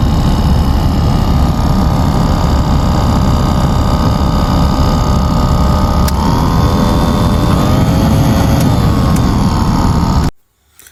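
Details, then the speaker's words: Car AC blower fan motor running: a loud, steady droning hum with a rough, uneven undertone and a faint wavering whine, from worn carbon brushes, which can stop the fan working at times; the brushes are then replaced. "මේ සද්දේ එන්නේ බ්ලෝවර් fan මෝටර එකෙන්. ඉතින් මේ වගේ සද්දය ඇහි දුවද්දි සමහරක් වෙලාවට මේ ෆෑන් මෝටර එක වැඩ කරන්නේ නැති වෙන අවස්ථාවක් තියෙනවා."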